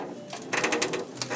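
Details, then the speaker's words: 1977 Trans Am pre-restoration: dry clicking creaks in short bursts as the body is rocked, because the rocker-to-floor seam is not attached front to back and was left unwelded by a previous shop. "I mean, that whole thing, that whole seam front all the way up is not attached. And you can hear that creaking."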